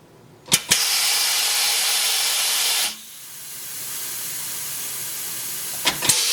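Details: Coats 5030A tire changer after rebuild, air supply just connected: steady high hiss after the clunks, fading to a fainter constant hiss; compressed air leaking at the hose fittings, fixed by removing the fittings, re-tapping the holes and refitting.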